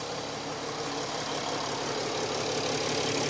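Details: Mercedes 3.0L OM642 diesel (ML350/GL350) after new Valeo alternator installed, first start-up check: steady even diesel idle, smooth unchanging clatter, no knocks, misses or squeals; engine running healthy.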